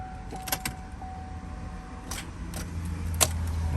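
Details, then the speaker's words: Camaro still at operating temperature gives a few sharp clicks on key turn with no cranking; battery tests fine, so a mechanical failure is suspected but unconfirmed. "according to our our gauge assortment, we don't have a dead battery. So, we actually probably have a mechanical failure."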